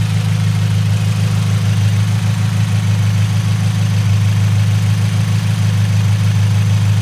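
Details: Faint high, thin whine riding constantly over steady engine idle on an FRS (manual), only on cold start and gone when the clutch pedal is pushed in; confirmed worn throwout bearing, clutch replaced while transmission was out.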